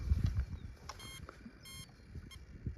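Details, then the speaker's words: RC truck on a 2S 2000mAh lipo (125C or 150C, tested blind) after about five minutes of driving outdoors: a few short high-pitched beeps spaced about half a second apart. This is the speed controller's over-temperature warning. "yep I do believe that is temp if you can hear that beep"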